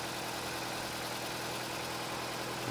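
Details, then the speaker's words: 2009 Nissan Cube CVT, 195,000 km, that whined before fluid change and filter cleaning, after servicing at idle: steady even hum with no pump whine; transmission sounds healthy at rest. "Wow I wonder if it's a healthy CVT in there won't know till we drive it"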